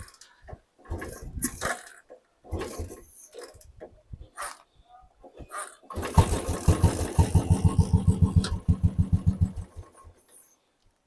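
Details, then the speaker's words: Royal Enfield Classic 500 fuel-injected, 21,058 km, sat unused for days, with starting trouble and misfiring: single fires with uneven chugs about three a second, then falters and dies when throttle is applied; stalling, cause unclear. "Start ചെയ്ത അവിടെ വണ്ടി accelerator കൊടുക്കുമ്പോഴത്തേക്ക് വണ്ടി ഓട്ടോമാറ്റിക്കായിട്ട് of ആകുന്നുണ്ട്."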